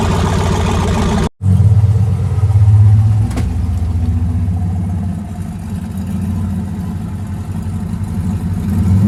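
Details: AWD turbo V8 race truck after new fuel injectors, warming up: deep, steady rumble holding even after a brief cutout, no knocks or misses; running better than ever, nearly ready for tuner/dyno.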